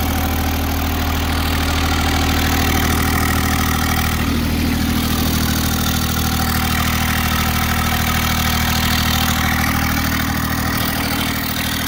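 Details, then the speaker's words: Kubota GR2110 mower with an added RHB31 turbo, driven under load: a steady, even diesel beat with a faint whistle on top as the turbo spools. Sounds healthy, normal running. "You can hear the turbo spooling. It works pretty good."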